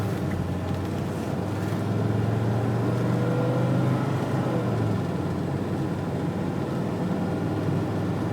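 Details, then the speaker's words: 1985 Mercedes-Benz 300D turbo diesel, 307,000 miles, automatic transmission, driving on road; drone rises then drops cleanly at each upshift, smooth and repeated; shift points correct. "Shift points are correct. Still has the passing capability, somewhat. It is a turbo diesel."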